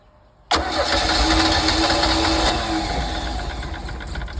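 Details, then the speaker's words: 1982 Sea Ray boat engine with water hooked up, cranked after starter spray: steady fast starter churn about four beats a second, never catches; no fuel coming through the fuel line. "However, getting gas here was not happening. So I was not getting any fuel through my fuel line here to make, the engine happy."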